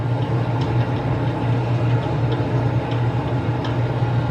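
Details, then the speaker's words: Old dishwasher clanking and clicking when started, pump hum with irregular clicks as if something is inside; cleaning didn't stop it, debris hitting the wash impeller. "i said it's making us clanking noise [Music] oh yeah you can hear it clanking it's like clank clank"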